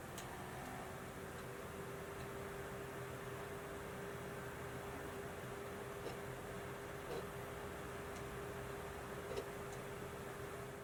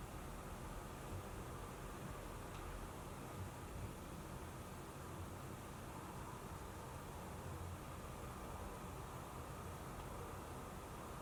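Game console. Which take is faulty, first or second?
first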